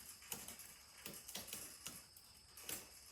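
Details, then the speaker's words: Schwinn 21-speed bicycle left outdoors since 2017, chain treated with WD-40: light sharp clicks about every half second as cranks turn, stiff chain links jumping over the sprockets. "can you hear that clicking back there there probably see it jumping as much as you can hear it click"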